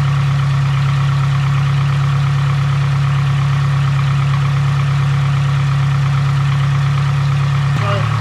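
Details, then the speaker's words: Nissan SR20DET (S13/180SX/240SX), idling after an intake plenum gasket change, sound heard low in the engine bay: a thin constant whistle over a steady low idle. Owner suspects a vacuum leak at the throttle body gasket. "i'm here a whistling sound down here [Music] i think it's a throttle body i think it's the gasket on the throttle body"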